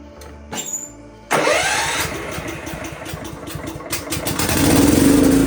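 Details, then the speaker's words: Vintage Craftsman riding mower (neighbor's woods tractor), just revived with new hood fix, tire tube and battery: starter grinds, small single fires into fast, slightly raspy putter rising as it drives off; sounds like a minor exhaust leak. "sounds like it's got a little exhaust leak but I have a feeling he'll live with it"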